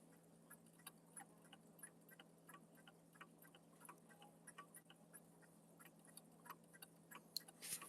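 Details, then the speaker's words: Pendulum clock under repair, still out of beat: uneven ticking at about ninety beats a minute with irregular spacing and loudness plus crunching noises over a quiet room hum; the clock is badly out of beat. "I don't know if you're still here, Jesse, but you can probably hear that ticking sound here. A lot of noises."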